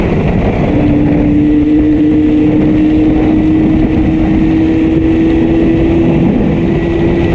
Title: LIMPING MY RD 350 WITH A HEAVY MISFIRING CYLINDER BACK HOME WITH A FEW MISSING HORSES ✌️